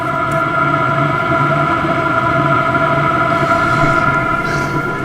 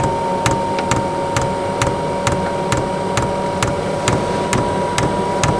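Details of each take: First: Newly installed eBay diesel heater in family caravan, first start, exhaust hot, some initial smoke: constant fan hum with steady burner roar, no surging or popping; lit and burning normally, getting warm. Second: Newly installed eBay diesel heater in family caravan, first start: dosing pump ticks sharply about twice a second over steady fan hum while diesel is just coming up the line; burner not yet lit.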